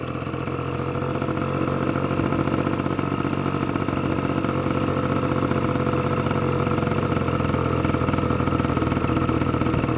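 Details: Honda Spree moped just running after clearing out the exhaust, idle screw turned down slightly as carburetor was still a little off: small two-stroke buzzing at a steady, even idle with no hunting or stalling; normal idle.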